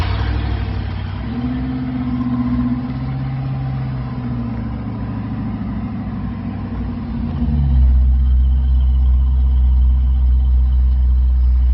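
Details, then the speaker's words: LS-swapped Chevy C10, first start with newly finished exhaust: deep, steady V8 burble at idle with even firing pulses, settling louder; sounds healthy, normal idle. "Sounds excellent. Sound good? Sounds really good."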